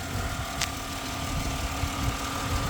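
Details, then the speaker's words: 2010 Ford Explorer 4.0 V6 with P0446 evap and P0461 fuel level codes; seller warns of a worn transfer case and an unidentified noise. Started right up, with a steady low hum and an even rhythm and no knocks or ticks. Normal idle. "it's the 4.0. Sounds like it's doing what it's supposed to be doing. Started right up."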